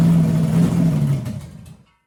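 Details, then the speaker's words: 6-inch rodded 350 Chevy V8 (HQ Holden Kingswood project), run after fixing an MSD box earthing out through the white wire; runs rough, then the note sags and dies within two seconds; won't hold idle; owner notes vacuum leaks. "I do have a couple of vacuum leaks, but I'm just going to go get a run."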